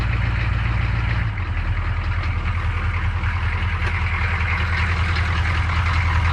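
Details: 1985 M1008 Detroit Diesel 6.2 V8, first cold start after a week sitting under snow: lumpy, uneven low chug of two or three beats a second instead of smooth running, rough idle.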